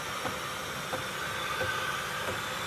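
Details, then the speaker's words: Rolls-Royce driven at low speed after a repair; sharp clicks roughly every two-thirds of a second over road noise, a thud and knock with movement, bearings seem good; suspected CV joint or flex plate, possibly from a burnout, not confirmed. "it's like a thud and knock now I do hear a not a grind but you can hear this movement in there"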